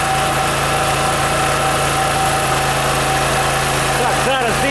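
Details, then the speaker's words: OKAY inverter generator, 2.5 kW max / 2.2 kW rated, running with lamp and heater load of about 1000–1500 W: steady, even hum at constant pitch, no hunting or misfire; handles load normally. "We turn it on so that it, here it is, the light bulb is on, it perceives 1000 W now."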